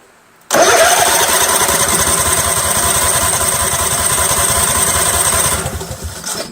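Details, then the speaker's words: Craftsman GT6000 garden tractor after 4-post to 3-post starter solenoid conversion, fuel fed from a substitute tank, choke seized: starter cranks fast, strong, even chugging for about five seconds but engine never fires; suspected fuel pump or water in carburetor, unconfirmed. "the choke is seized so i can't even choke this see what i mean folks see you see all right here we go all right now it doesn't start"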